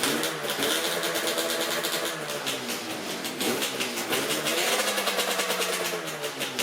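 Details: Yamaha RZ350 two-stroke project bike after the gauge pod was removed and the tachometer mechanism lubricated: a crackly two-stroke that blips up and down cleanly, with no howl or screech from the tachometer or speedometer. The squeal seems fixed, at least short-term.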